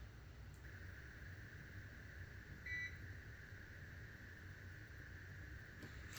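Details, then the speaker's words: GOLDENMATE 1000VA LiFePO4 UPS running on battery, down to one bar, fan running near 40 dB: quiet steady fan hiss with one short high chirp, warning that the battery is almost flat. "now you still hear that chirp cuz it's about to die"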